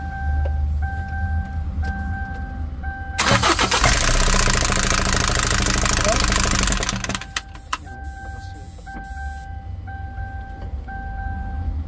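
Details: Engine running with the timing cover removed and the belt off: loose metallic chatter swelling into a harsh clatter when revved; the problem is found at the timing chain, and its guide is to be replaced.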